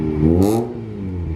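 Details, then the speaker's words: 2009 Mazda RX8 R3 with a new cheap eBay exhaust and high-flow resonated midpipe, after new motor mounts: a short smooth rev with no rattle. Before, the rattle shook the whole car at about 1500 rpm. "it sounds like it's not rattling either the motor mounts oh yeah yeah yeah i think the motor mounts fixed it okay the moment of truth will a small rev create the rattle noise yes it's gone"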